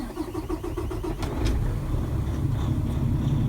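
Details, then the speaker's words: Kenworth T660 semi truck diesel with a 10-speed manual, cranked after key-on. A steady starter chug at about four beats a second, then it catches and settles into a strong, even rumble: healthy start. "Once the engine starts, you want to look here, make sure you have oil pressure."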